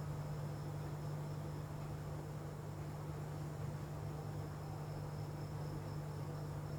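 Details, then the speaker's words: Dell laptop at power-on: one steady, unbroken beep from switch-on that continues even after the system boots; laptop opened for repair. "यह देखिए दोस्तों जैसे ही मैं laptop को on करता हूं तो इसमें से बीप की वॉइस आने लगेगी"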